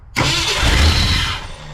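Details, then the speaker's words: 1968 Ford F100 after a 4-barrel carburetor conversion and timing chain install; catches sharply, then settles into an unsteady, uneven idle; rough running caused by a thumb-sized vacuum leak hole. "that is an issue with a vacuum leak somewhere"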